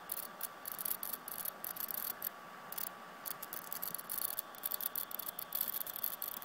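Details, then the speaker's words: 2010 13-inch MacBook Pro under extra CPU load while creating a DVD: faint fan hiss, steady high whine and irregular sharp crackles. Not apparently from hard drive or speakers; owner suspects power supply or logic board. Crackling noise. "You can hear the fan, but it's not making that noise. Sounds like it might be power supply or logic board, CPU."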